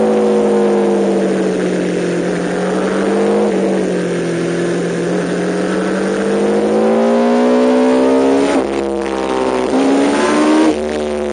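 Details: MV Agusta F4-750 at high revs under load climbs and falls with a ragged stumble and brief dropouts; a chronic, recurring misfire with no cause identified.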